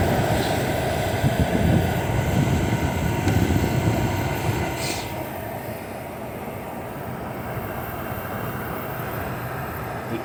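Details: Hisense dehumidifier at full setting, evaporator icing and warm air output: low steady compressor hum under an even fan rush, no knocking or rattling; running normally.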